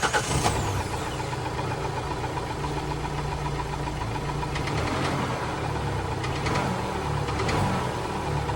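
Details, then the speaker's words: 2014 Kia Forte, 80K miles, bought at auction and limited to 2,000 rpm, with a yard-warrantied transmission due to come back out: steady idle with a dull, irregular knocking underneath. Engine knock at idle, cause unknown. "And as you can hear, this thing is knocking like the rent collector. Not what we want."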